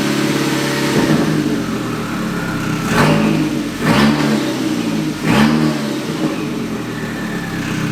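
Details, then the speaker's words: MK2 Golf with swapped 1.8T engine, first drive after the swap: irregular heavy knocks as it revs. Noise stops with the clutch pedal pressed and returns when released; owner suspects flywheel or clutch. "sounds like my my flywheel or my clutch when i when i engage the clutch that noise goes away when i let it out it's like something's hitting on something man"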